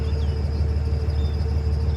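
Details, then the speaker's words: Squeak while driving from the belt drive of a 2003 3rd-gen 5.9L Cummins truck, heard with window down: thin steady squeak and faint chirps over road rumble; idler pulley suspected, owner plans to spray pulleys one at a time to find it. "so i'm driving along here and i noticed my truck has developed this squeak i roll down the window you might be able to hear it better"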